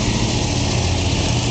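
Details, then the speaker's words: 1966 Ford Mustang K-code GT four-speed Fastback, solid-lifter V8 over 270 hp: deep, even idle with a steady beat, no knocks or misses, proper exhaust tone; normal idle. "solid lifters proper exhaust tone this car is super correct phenomenal condition"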